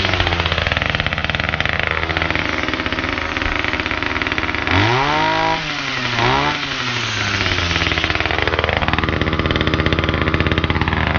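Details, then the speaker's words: Titan multi-tool, small two-stroke, cold start with attachment fitted, after a cheap replacement carburettor: idles, then revs up cleanly and drops back twice with no bogging. Normal running, fixed; idle slightly high. "Good. That's fixed. Okay. Super happy."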